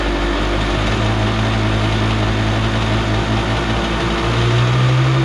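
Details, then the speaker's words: Kawasaki 750 jet-ski two-stroke engine in aluminum mini jet boat, run with jet pump removed: steady even drone, no knocks or rattles, earlier crazy noise gone, so noise was in the pump. Normal running. "Alright, that seems totally fine now. It's not making that crazy noise. So whatever it is was in the pump."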